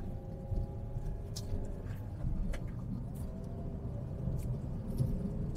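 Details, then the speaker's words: Car cabin after full sound deadening (roof, five doors, floor, wheel wells, rear), on a test drive at 60 km/h over medium and rough asphalt: only a soft, deep, steady tire rumble with little hiss. Low cabin road noise. "jadi suara ban itu benar-benar berkurang drastis suara sekitaran nih mobil-mobil dengan jarak di sebelah kita lirih banget suaranya makyus banget luar biasa"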